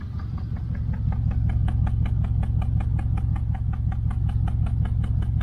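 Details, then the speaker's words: 1968 Chevelle Nomad V8 idle with loping beat and uneven ticks; code reader shows misfire, intermittent, one bank sounds different; owner suspects an ignition coil, and exhaust clamp is loose; coils all showed spark, new set of eight bought. "Now it doesn't sound like a miss. But it kind of does on this side when it does do it."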